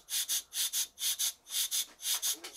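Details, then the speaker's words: Cotswold Heritage model steam engine test-run on compressed air after oiling: rhythmic breathy hissing puffs in pairs, about four a second, with no solid exhaust beat; runs wheezy, cause unclear. "it's very wheezy I'm not sure what's going on here"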